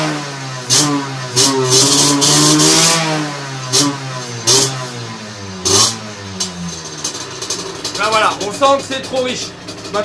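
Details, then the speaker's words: Two-stroke moped with 17.5 mm carburetor on test bench fitted with oversized 210 main jet; revs up and down with soft blubbery pitch that won't clean up at high revs; running rich. "je vais te mettre la machine en route et je vais te montrer le comportement d'un gicleur trop beau"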